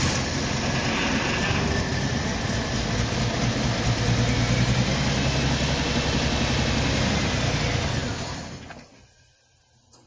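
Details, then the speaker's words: 1990 Jeep started, fuel gauge apparently on E with a suspected fuel tank problem: engine catches and runs fairly evenly for about eight seconds, then fades and dies once primed fuel is used up; fuel starvation. "I mean, there's obviously an issue with the fuel tank."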